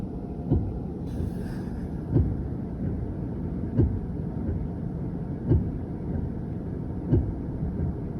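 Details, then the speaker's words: 2023 Hyundai Ioniq 5 powered up with the AC on. Roughly 10–15 faint, evenly spaced thumps about every 1.5 seconds come from up front over a low hum. The cause is a faulty three-way coolant valve, which leads to warm AC air and a dashboard alert; the fix is replacing the valve. "If at some point you start to hear a faint thumping or clicking or knocking or clomping sound coming from up front somewhere, here, I recorded it when mine was doing it, so you can listen and see what it sounded like for me. You'll hear about 10 to 15 faint repetitive thumps."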